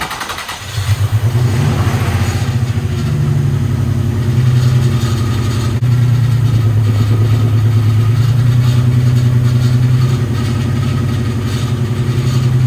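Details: Nissan 350Z drift build, six-cylinder, running a while and warming to temperature, no leaks: lumpy uneven idle, stumbling on revs, seems to run on five cylinders; misfire, owner suspects a bad coil pack, unconfirmed.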